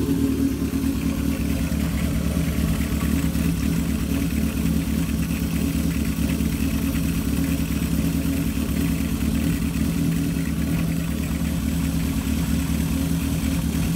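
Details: 1978 Kawasaki KZ650 C four-cylinder, revived after at least 5 years unrun, during carb vacuum balancing with dampers: smooth, steady fast idle at 2000 rpm, no hunting or misfire; normal, carbs balanced within about a quarter inch.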